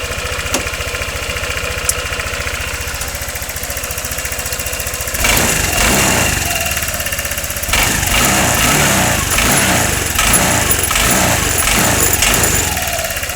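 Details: 2013 Honda SH150i scooter engine after repairing a new knock (broken spark plug was found): brief hard start, possibly because the intake manifold was flooded with cleaning fluid, then an even, quick idle with no top-end tapping and clean throttle blips. Healthy.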